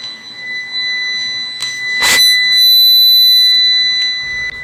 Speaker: Friends, UPS దగ్గర ఇలాంటి sound వచ్చిందంటే ఏంటంటే ప్రాబ్లము, దీంట్లో బ్యాటరీ టైం అనేది అయిపోయిందండి.